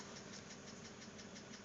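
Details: 2006 BMW Z4 3.0si idling, heard from the cabin, about 19,066 miles: regular light tapping about six per second over the hum, an engine knock. The lifters were already replaced with no change, and the owner hopes a head replacement cures it.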